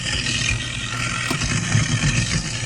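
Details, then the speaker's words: CLEESINK air switch kit test: garbage disposal plugged in under the sink and started with the air kill switch. It spins up to a steady low whirring roar with an even grind and no knocks or stalls, so it is operating normally. "So we have the garbage disposal plugged in right here, and it goes all the way down under the sink, as we can see here. Now all that's left to do is go ahead and hit my little kill switch, which I'm going to do."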